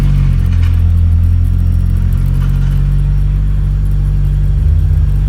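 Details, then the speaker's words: Engine after tightening loose oil filter and sandwich plate that leaked oil: deep steady even rumble at idle, no knocks, ticks or misses; oil pressure present, no significant leaks, spilled oil burning off. "We have oil pressure. Looks okay. Just burning off some oil here. No significant leaks."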